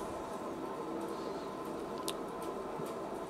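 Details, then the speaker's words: Renault Twingo 1 rear drum brake, wheel bearing spun by hand before replacement: a steady, gritty rumbling whir that is clearly noisy, indicating a worn bearing that needs changing. "on peut voir que ça c'est plutôt bruyant donc c'est pas un luxe comme de le changer"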